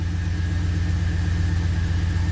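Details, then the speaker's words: 2004 Pontiac GTO 5.7 LS1 V8, 6-speed manual, 34,000 miles: rough, low uneven lope with irregular dips. It is misfiring, with cylinders 1 and 8 counting misfires, and feels like a single cylinder. "So let's start it up, see what it does. It's definitely misfiring."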